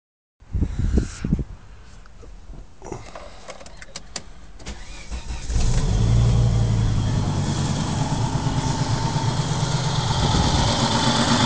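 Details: Volvo 850 after owner replaced the cylinder head following a timing belt break: starts and idles roughly with a puffing, hissy exhaust leak, down on power; misfire and exhaust leak, cam timing possibly off a tooth suspected, not confirmed.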